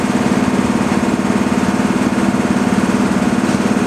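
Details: Breathing-air compressor filling hoses and then the high storage bank first, pressure climbing: steady rhythmic thumping, about three beats a second, with an even mechanical drone. Normal running.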